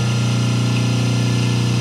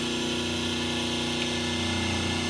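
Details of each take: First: 5 hp three-phase motor run on single-phase 220 V before capacitor balancing, line voltages roughly 189–193, 187 and 385 V: loud, steady low hum with a rough buzzing edge; it strains on badly unbalanced voltages. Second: 5 hp three-phase motor on single-phase 220 V, balanced with three 36 µF/250 V run capacitors plus start capacitor: even soft hum, steady pitch, no growl; line voltages 208, 207, 207 V, near perfect balance.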